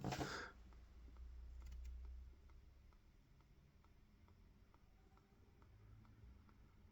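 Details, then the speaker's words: Uniden Bearcat UBC785XLT scanner with antenna off: faint, fairly regular low pops about four a second over quiet hiss whenever an AM channel is added to the scan. Very low-volume popping, suspected bug. "You get that noise, that popping noise, very low um, very low audio sort of volume. Um, just a very very background sort of thing."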